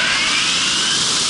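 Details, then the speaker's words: Marley cooling tower fan on a test run after repairs and an oil refill: even, steady rushing air over a smooth drive with no knocking, grinding or whine; running smooth, normal running. "cut it Vinnie she's running smooth this butter boys let me inspect it real quick"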